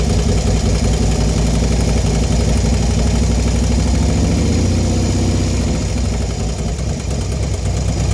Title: Clicking noise after installation of 110 kit 6/2/19